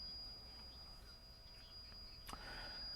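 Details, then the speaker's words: Old tube radio: thin, steady high whistle at one pitch over faint hiss; IF transformer self-oscillation, typically caused by inadequate shielding of the IF amplifier and converter stages or a floating shield. "high-pitched noise and as you tune around the station you'll hear the pitching change you may hear a little bit of the station coming in"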